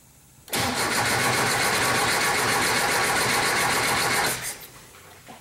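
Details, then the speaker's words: 1973 Porsche 914 with old fuel injection, cranked via remote start button with hand on throttle: starter cranks steadily about four seconds, wants to start but never runs; 30 psi fuel pressure while cranking, drops to 20 after. "see there kind of wants to start but it doesn't it won't run"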